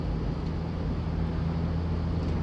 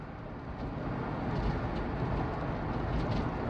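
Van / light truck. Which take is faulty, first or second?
second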